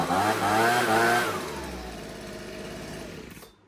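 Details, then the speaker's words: Husqvarna 125B two-stroke leaf blower after repair, just after adjusting the carburettor high-speed screw, still no air filter (final tune pending). Climbs cleanly to a high, steady scream, then winds down smoothly without bogging. "That's perfect. I mean, obviously, like I said, I'm going to have to touch it again once we get the air cleaner in, but let's try to blow some leaves."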